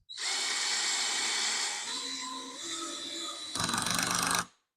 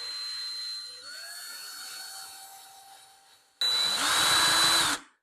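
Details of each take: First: Older cordless drill driving a screw, clutch turned up past seven after it stopped short: even motor whine, then a quick burst of rapid clutch clicks as the screw seats, still not quite deep enough; working normally. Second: Cordless drill: steady motor whine, then rough chattering buzz as the bit spins in the chuck, chewing up the bit's end; caused by chuck not tightened enough, fixed by retightening firmly.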